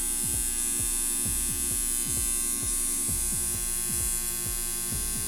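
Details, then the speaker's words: Homemade transformer, 110 V on the primary, 43.3 V output instead of the 40 V target: steady gritty buzz because the core laminations are unvarnished and not held firmly. "Como pueden observar, nos da 43.3 voltios, y como pueden escuchar, aquí tenemos el zumbido que les mencionaba por la falta de barniz y de que queden por falta de que nuestro núcleo quede más firme."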